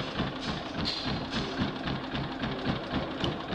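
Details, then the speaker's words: After a service, oil change and pull-cord repair, a Champion 3100 inverter generator fires up but hardly runs, pulsing unevenly about three to four times a second before shutting off; the electronic-controlled carburetor's control unit/module is diagnosed as the fault. "so i came to me for a service and oil change and then fix the pull cord after the service was done when we went fired up this is what i was doing hardly runs"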